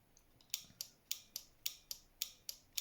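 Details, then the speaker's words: Relay from engine bay of 1989 Nissan Silvia S12 1.8 Turbo, bench-tested with power applied: crisp sharp clicks about three per second, nothing else; relay switching normally, contacts changing over as checked with multimeter. "So again, put the power on, see if it's clicking."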